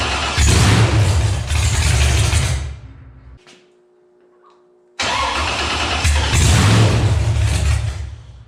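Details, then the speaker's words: Mechanical-injection engine, cold shop about 45°F, gas mixed in primer: starter spins it steadily about four beats a second over two long tries, never catches; no fuel because the freshly rebuilt injection pump seized, breaking its drive shaft. "I don't think it's getting fuel. Well, I've been tracking it down. We're not getting fuel."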